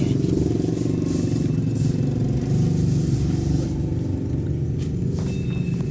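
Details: Honda City i-VTEC, 2022–2023, manual, after a crank-no-start repair including a bolt fitted in a 10 mm nut: low, even engine hum holds steady with no dips or cut-outs while the fuse box is shaken; smooth, healthy normal idle.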